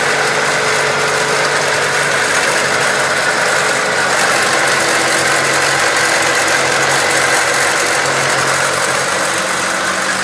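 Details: 1999 Acura Integra petrol engine idling with a busy, loose rattling chatter in the engine bay mixed into its steady running note; cause not identified.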